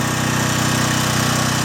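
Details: John Deere/Briggs and Stratton generator, after a gummed carburetor was cleaned and rotted fuel lines replaced: the single cylinder holds a steady, even beat after the 1500 W load is switched off, no stumble or hunting; healthy.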